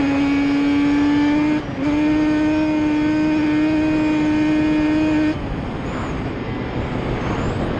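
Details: Yamaha Banshee two-stroke twin ATV on a ride after misfire chase (new plug caps, coil swap didn't cure it): carb needles moved back to middle position, high clean tone holding under throttle with brief shift dip, no popping; miss gone, running normally.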